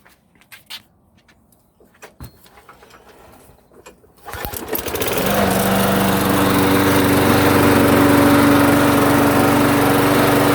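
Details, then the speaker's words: Lawn mower that surged at idle, after swapping incorrect carburetor bowl nut for the proper part: engine fires up and settles into an even, steady beat with no hunting or surging; running normally. "card so no more surging"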